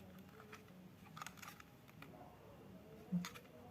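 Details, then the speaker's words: Unitex computer mouse after its noisy buttons were replaced with silent switches: only a few soft, muffled clicks in a quiet room, no sharp snap. "Dengarkan suara mouse yang bising tadi menjadi sangat silent tanpa suara ya guys. Beda dengan button yang tadi."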